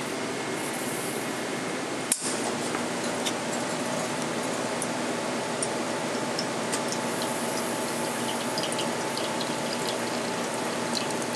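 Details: La Cimbali 220 V espresso machine pulling a single shot: steady hiss and trickle of water under an even pump drone, no strain; pump running normally during brewing.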